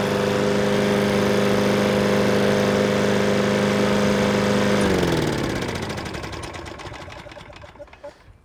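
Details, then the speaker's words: Troy-Bilt TB320 21-inch rear-wheel-drive mower, Briggs & Stratton 725 series EX 190cc engine. Discarded, then serviced with its missing spring replaced. Smooth, steady engine note for about five seconds, then a clean wind-down at shutoff: normal running. "there you have it another more saved for one simple little item this thing got discarded so we service it up put that spring in there"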